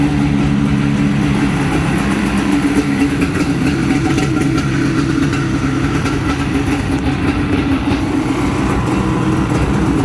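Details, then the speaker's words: 1995 Yamaha WaveRaider two-stroke after starter replacement: starts right up and settles into a steady, even run with no misses or knocks. The earlier trouble was thought to be a loose starter terminal. "Well guys, as you can see, started right up."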